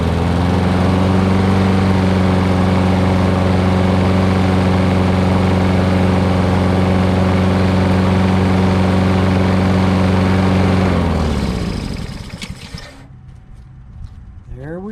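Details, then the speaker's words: Honda HRX2168 VKA mower after replacing the auto choke thermo wax assembly (previously wouldn't start without starting fluid): smooth, steady running at constant speed, no misses or surging, then clean shutdown. "runs like a charm now"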